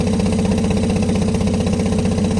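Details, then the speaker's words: New Remco Aqua-Jet RV water pump in a fifth-wheel storage compartment, which also leaks and will not shut off: loud, coarse motor drone with a steady pulsing rattle that shakes the whole trailer; excessive pump vibration. "I'm going to go ahead and turn the pump on and let you hear this. It shakes the entire fifth wheel, like there's a jackhammer inside"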